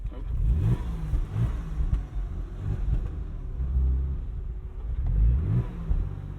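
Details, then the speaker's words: 1999 Porsche 996 Carrera 4 struggling to start: low uneven engine note surging and sagging, idle hunting with backfires, then the engine dies; rough running, cause unknown. "she's giving us some backfires yeah did you hear that i did and i feel it in my butt too"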